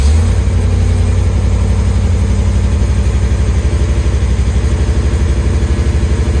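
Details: 1973 Chevy Nova V8, carbureted with a Street Demon 750 (no more EFI), cold after sitting a few days: deep burble, uneven lumpy beat after a hard cold start; rough cold idle, needs cold start adjustments.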